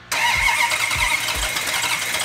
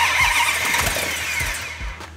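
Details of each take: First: Hemi V8 in a fire-damaged 'Cuda, first start after restoration with fuel in carburetors and oil pressure confirmed: bursts into life, settles into a loud, slightly uneven idle; timing not yet set, needs advancing. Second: Plymouth Hemi 'Cuda, rebuilt after a garage fire, first start after fuel in carburetors and oil pressure confirmed; engine catches cleanly after a few cranks, revs briefly and settles smoothly with no knocks or misses; normal start-up.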